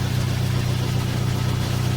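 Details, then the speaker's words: Dodge Dart 1.4 Turbo just after timing belt and MultiAir filter replacement, idling toward operating temperature. An early brief shake with no check-engine light went away. Smooth, steady idle hum with no ticking or misses: normal idle. "Also, I'll be checking for leaks. But so far, it's running."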